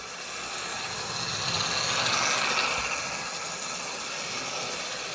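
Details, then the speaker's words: Old analogue Hornby locomotive with slipping motor, not run in a long time, running on track; small electric motor whir with light gear buzz rising and easing with speed: normal motor running, later cut out. "Listen to that sound. Listen to that. Proper old Hornby train set sound, that is."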